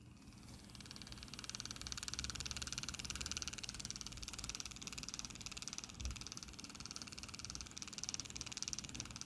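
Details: 2012 Chevy Impala 3.6 V6 heating only on the driver side: the blend door actuator on the bench hums steadily with regular clicking about twice a second as the gear skips teeth; the motor itself is fine.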